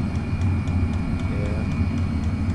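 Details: Chinese diesel heater burning kerosene with 5 m copper exhaust, warmed up after glow plug startup; steady low combustion roar with regular fuel pump ticks about four a second; burning evenly and normally.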